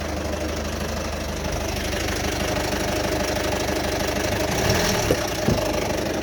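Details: Rough, noisy idle on a 2008 Citroen Berlingo 1.6 HDi diesel: uneven loose knock two or three times a second over steady clatter. Began around August 2021; has had full service, timing belt, water pump, new turbo, EGR valve and fuel sensor; no engine faults shown; cause unknown.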